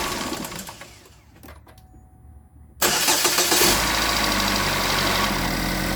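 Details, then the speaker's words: GMC Terrain with code P0011 (cam timing/oil control), started after work on the oil control valves, harmonic balancer and sensors; a slight rattle was expected. It cranks, catches and settles into a steady, even idle with no lasting rattle. "got it run and smooth out it's not bad might just be a rough running engine camera's not vibrating so I think we're fine"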